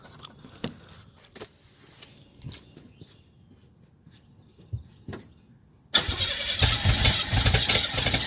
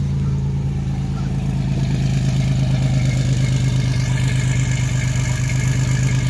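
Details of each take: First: 1987 Chevrolet Celebrity Eurosport 2.8 V6, 237k miles, cold day, recorded at the tailpipe before the MagnaFlow catalytic converter install: quiet clicks, then loud, hissy, raspy open-pipe exhaust note with fuel smell; running rough today. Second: 1987 Chevrolet Celebrity Eurosport, 2.8 V6, 237k miles, cold first start after fitting a MagnaFlow high-flow catalytic converter on an all-new exhaust with a single-in, dual-out muffler. A deep, smooth drone swelling evenly with revs, no rattles or leaks: a normal exhaust note.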